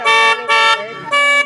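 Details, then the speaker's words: Honda CG125 after a rectifier wire mod raised charging to 16-17 V, running on the fuel left in the carburettor: three strong, clear, full-toned dual horn blasts with no weakness; the horns now work. "ये देखा दोस्तों, ये हारन चल रहे हैं इसके।"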